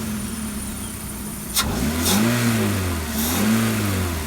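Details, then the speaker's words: VW Golf 1.6 petrol (2003 onward) after the faulty ignition coil behind its rough running and misfire was replaced: it starts at once and idles and revs smoothly, purring with no stumble. "as good as new there it is purring away absolutely lovely"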